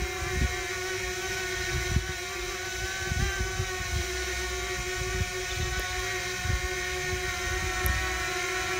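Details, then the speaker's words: DJI Mini quadcopter (250 g) hovering side-on, fuselage at 90° to the observer: a louder, steady high whir with a throbbing, beating warble, likely greater interference between the propellers. Normal propeller noise, side-on. "I find this to be a much more noisier configuration and we can hear how there's greater interference between the propellers or something is going on that makes it"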